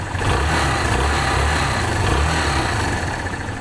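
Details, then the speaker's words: Kawasaki Barako single-cylinder after replacing the camshaft and rocker arm, worn from lack of lubrication and once loudly ticking: idle slightly high but smooth and even, no top-end ticking; sound back to normal. "Okay, dito tahimik na po yan. Medyo mataas lang yung ating minor, pero tahimik na, normal na po yung kanyang tunog. Balik na sa dati niyang andar."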